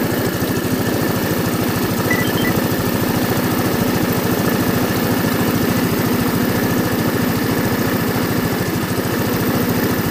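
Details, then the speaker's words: Orbit scooter with 139 engine, 62,850 km, after carburetor work for stalling after warm-up or braking: steady, even putter at about 3.5 beats a second, no misses or knocks; revs may dip while warming, owner says normal; normal idle. "інколи обороти тіпа на прогріві падають Як на мотоциклі це норма ми просто підгазовуємо"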